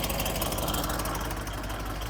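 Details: 1993 Ford F700 gas dump truck, long parked, running after fuel-filter gas feed, with what the owner believes is Marvel Mystery Oil blown out the side of the engine and coming off the exhaust manifold: lumpy uneven idle with faint rhythmic tapping, owner says not necessarily bad. Rough idle with knock.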